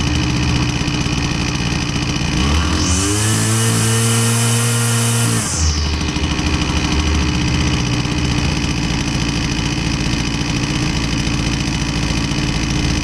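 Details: Husqvarna 122C string trimmer, two-stroke, after the fix with fresh fuel: it previously bogged and only ran on choke. Idles steadily, revs cleanly for a few seconds, drops back to smooth idle; runs healthy.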